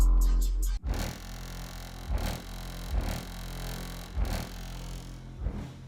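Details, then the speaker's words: Cheapest pair of Harmony HA-RD12 12-inch subwoofers in a car, in a box with a tiny port: each bass hit carries a harsh, buzzy rasp instead of clean thumps. Both subs are faulty, with voice coil rub suspected. "hope it picks up on video just how terrible this sounds. This is such a disappointment, guys."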